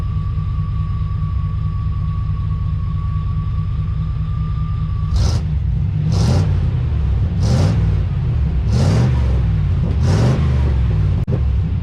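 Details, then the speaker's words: 1991 Chevrolet Silverado OBS small block V8 with 399k miles, open exhaust, during tune-up: deep loud idle rumble then five quick clean throttle blips; normal revving, engine sounds healthy. "We're just fixing other things, okay? We're making ourselves feel better about this, okay? Sounds pretty good though."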